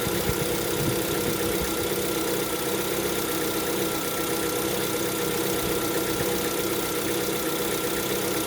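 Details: Lada Vesta at 11,000 km, cold engine idling: fast, light, even knock over the steady running; piston knock on cold start suspected, cause not confirmed.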